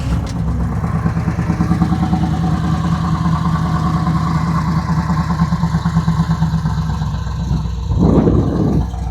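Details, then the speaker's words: Cold idle of a '69 Chevy C10 big-block V8 with Holley Sniper 2 EFI, after ignition wire and rotten-fuel problems; not warmed up, not very cammy yet, still needs tuning: deep even idle, slight lope, short blip near end, no knocks; normal. "in it it doesn't sound very cammy right now it's not warmed up but I just had to share"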